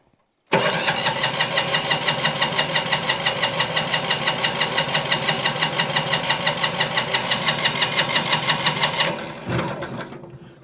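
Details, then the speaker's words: Single-cylinder diesel on a Winget mixer, stood unused a couple of years, decompression lever now catching: steady starter cranking about three beats a second, smoke appears but never fires; low compression suspected, not confirmed. "We got smoke now, which we didn't have before. Smoke, but no fire."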